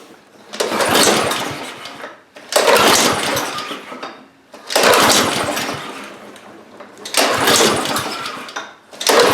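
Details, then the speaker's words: Husqvarna HU800AWD all-wheel-drive lawnmower with Honda GCV190 engine, cold, choke closed: catches and fires a second or two then fades out, four tries in a row, won't stay running; carburetor suspected, cause not confirmed. "so it did start didn't stay running that's very interesting so uh uh we're making progress why did it not stay running"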